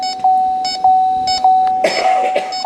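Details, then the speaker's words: CPS AC FX3030 machine on an R1234YF car holding 15% charge, engine off, fan blowing: leak detector wand gives steady, evenly spaced high beeps about every half second, no speed-up, so no refrigerant leak. "So, okay, it's beeping. If it gets elevated or the bars go up on the identifier, if you want to come around and look on this end."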